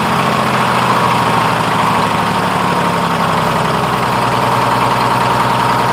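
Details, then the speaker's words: 1948 GMC Silversides Greyhound bus, freshly in-frame rebuilt Detroit 6-71 two-stroke diesel on restart. Even fast drone held well above normal idle without dropping back; idle hanging up, owner plans to reset the buffer screw. "Like I need to readjust my buffer. The idle's hanging up there, so I will go get a wrench and a screwdriver and reset that buffer."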